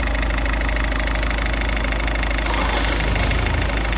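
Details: Ford Transit Connect diesel after early timing belt failure repair, just fired up after reassembly; steady idle with an even low clatter, no knocks or misses, healthy and settled.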